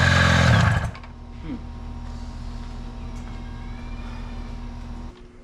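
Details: 1983 Evinrude two-stroke outboard after power unit work, started with starting fluid and primed fuel bulb: loud burst, then quiet, even run with steady tone and no misses, "baby purr"; normal running.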